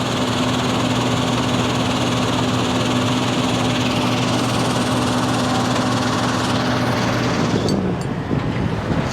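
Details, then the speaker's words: 2200 screen plant after speed adjustment: a steady even drone with a constant low hum and no knocks or surging. The screen head is running smoothly and is to be locked off at 1140. "Yeah, see how we're down at that? 11.40. We'll lock it off at that."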